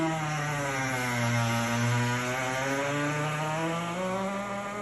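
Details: GE Opal countertop nugget ice maker, two weeks old, second new unit doing the same: loud droning squeal with wavering low pitch from small motor; cause unclear.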